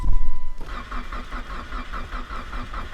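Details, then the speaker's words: Mitsubishi Evo X, not started for about a month since clutch destroyed, coils just flipped around; steady starter cranking with no firing because the ignition coils weren't plugged in, crank no start. "guess there probably help if I plugged in the coils"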